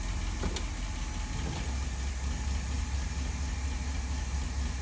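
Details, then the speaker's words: Cold start after rebuilding the Holley 1273-1 carburetor: low smooth idle holding steady in gear, no stumbling or hunting; carb now idling properly, with some other minor noises still present. "You can hear a little bit of stuff going on, but the carb, she is done and running great. And we just had it in a parade, and it's idled smoothly all the way."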